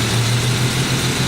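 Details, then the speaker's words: Jeep engine with stalling problem; lumpy, uneven idle with dropped beats as two loose fuel injector connectors kill cylinders 1 and 3 when touched, misfire. "I did find Loose two loose connectors on the uh fuel injectors that if you touch them those cylinders go dead"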